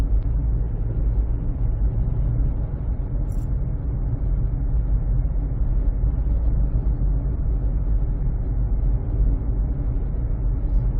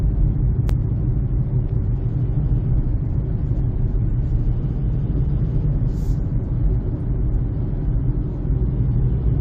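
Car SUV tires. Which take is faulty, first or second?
second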